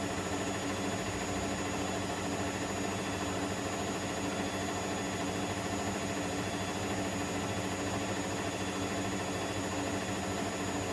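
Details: Electrolux EWF10843 washing machine spinning at 800 rpm with only 2 pieces of clothing: steady loud droning roar with fixed high whine throughout spin; cause not identified.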